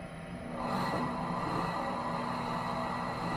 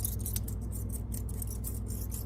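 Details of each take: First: Mill City 500 gram coffee roaster (North TJ066) after new front bearing installed: drum turns with smooth even hum, steady low tone, no squeak or scrape, so the back bearing needn't be changed yet; normal drum rotation. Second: Worn front drum-shaft bearing from a Mill City 500 gram coffee roaster (North TJ066), spun by hand after removal: gritty rhythmic scraping over room hum. It is shot after a couple of years of heavy roasting and is being replaced.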